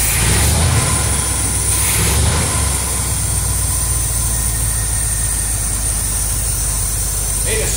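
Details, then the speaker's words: 1973 Corvette Stingray V8 first run after sitting 25 years: deep, steady rumble with an even beat and no knocks or misses at idle, timing near correct, smoke clearing from the back; sounds healthy. "Smoke's going away in the back yeah I guess we turned out that that fireball yesterday sounds good"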